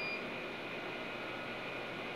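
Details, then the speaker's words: Fire alarm (FDAS) panel after replacing all its batteries (two 12 V in series for 24 V): one short high beep, then steady room hiss with no repeating trouble chirp; the battery fault has cleared and the panel is back to normal. "okay guys back to normal na siya guys dah Napalitan na natin lahat ng battery guys Ayan back to normal na siya at wala na siyang battery fault o Trouble"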